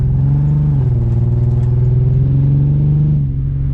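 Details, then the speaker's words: BMW E36 with 216,000 miles and original coils, driving: a deep, uneven, lumpy rumble that stumbles with little pull, a misfire. Owner suspects the ignition coils or an injector; plugs looked good. "so hopefully it's just a coil issue either way i gotta order it which means i gotta drive this sounds like a subaru"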